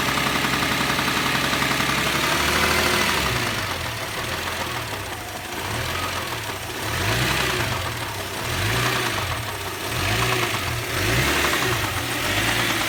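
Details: Subaru EZ30 engine: dull knock steadily under the engine at a few beats per second, swelling and easing in waves; bottom-end knock, owner suspects a spun bearing shell.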